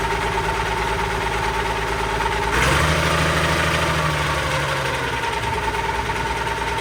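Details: Allis Chalmers 190XT diesel tractor being brought back to life, idling and pulling away on a drive test: a thin, steady mid-pitch whine over the diesel clatter, which the owner suspects is the alternator, possibly the hydraulic pump.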